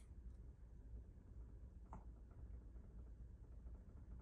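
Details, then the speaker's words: 2024 Newmar Bay Star 3014 motorhome onboard 120-volt generator started from the cockpit switch after priming: a quiet, steady low hum settles in as it catches and runs evenly; normal start. "once it starts I can release the button so I can I just heard the generator start so I release the button"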